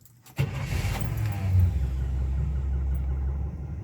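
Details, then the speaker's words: Truck V8 cranked in the driveway just after an Edelbrock 1405 carburetor rebuild with a kit; short crank, catches at once and settles into an even, deep rumbling idle, healthy start. "Crunk right up. Rebuild wasn't really that bad for the Edelbrock. I like it."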